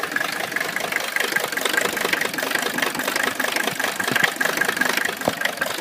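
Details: Mercedes engine with rough idle and no power: uneven stumbling idle with loose knocks about 2.5 per second and no steady rhythm.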